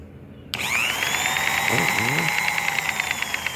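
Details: Electric massager motor from the 70s or 80s after brush repair with homemade bushing: switches on with a clean high-pitched whir settling into a steady, fairly quiet hum; motor runs normally.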